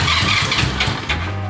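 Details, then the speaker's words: 1977 Honda Goldwing GL1000 after new spark plugs, fresh gas, new fuel filter; battery not charged. Starter turns the engine sluggishly, labored chug of about five pulses a second, not catching: slow cranking, likely weak battery. "Probably should have charged the battery."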